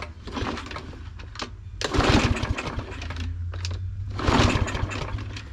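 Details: Fairly new Troy-Bilt mower, no-start: repeated pull-start cranking after spraying gas past the pried-open automatic choke, no firing; engine turns over but won't start, traced to a sheared flywheel key.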